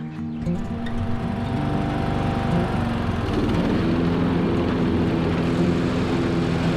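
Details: Troy-Bilt 42-inch riding mower, test run and mowing right after fitting new blades to replace damaged ones; steady, even engine drone with the deck spinning smoothly and no knocking or vibration: normal running.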